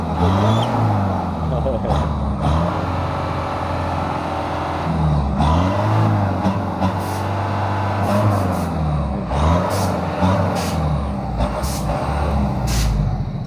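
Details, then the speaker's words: Stock Mitsubishi Canter 110 PS diesel van after engine tuning, kept at the original smooth setting: it rises and falls cleanly through repeated throttle blips and settles each time, without misses or knocks, revving normally. "ini adalah hasil dari suaranya suaranya tetap kita kasih untuk yang EE suara original setelan nol jadi enggak terlalu kasar"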